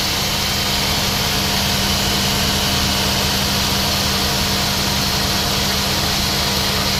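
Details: Nissan NV van at idle, original loose A/C compressor before replacement; A/C not cold, high system heat, leaks, cabin vent 4.6; harsh hissy rattle constantly over engine — noisy A/C compressor.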